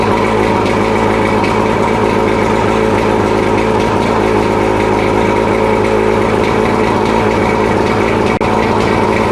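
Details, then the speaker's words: Mercury 115 two-stroke outboard after 18-month rebuild fixing worn-piston idle knock, restarted running extra oil (plugs oily): even steady idle, no knocking or misses; piston knock gone, running good. "We got, she's firing up, she's idling, she's running good, and all that piston knock is gone."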